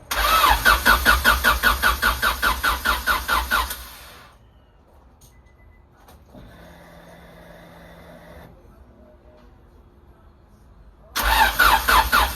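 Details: Honda Civic after new coolant temp sensor, ignition control module and rotor were fitted: sluggish, labouring crank at about 2.5 beats per second that never fires, then again.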